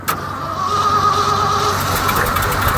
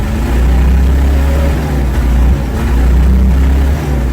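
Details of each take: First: Old Ford F-600 truck at -22°F, frost on choke flap: engine cranks with steady labouring chug but never catches; owner says the fuel is frozen on one side of the tank. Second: Ford F-600 after a -22F cold start, revved to full throttle. Deep, heavy roar swelling and falling back cleanly with no knocks or rattles; normal revving.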